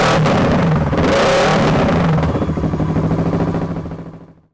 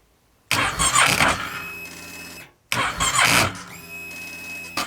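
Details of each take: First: Kawasaki ER6/Versys 650 parallel twin, first start after fixing a charging fault with burnt connector wires replaced: it catches and runs with a quick, even beat and a few throttle blips, then shuts down cleanly; healthy. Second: Kawasaki ER6/Versys 650 cranking hard even with a new battery; two long whirring starter bursts, engine barely catching, from a charging-system fault (regulator rectifier or stator checked).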